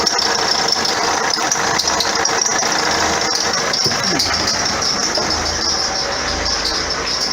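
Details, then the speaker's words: 2009 Vauxhall Astra diesel, complaint squeaky belt and knocking underneath, first start-up: steady high squeak over the running engine without letup; alternator pulley riding up and down its shaft, chafing the belt. "what it is actually is the author lack of pulley on the bottom the the pull is riding up and down the ordinary shaft causing the belt to chafe and squeak"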